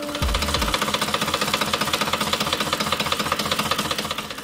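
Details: 2010 Ford Expedition 5.4L 3-valve V8 idling in drive under light load with a sharp metallic clatter only at idle; it changes when the VCT solenoids are unplugged but not when coils are pulled, suggesting a mechanical fault.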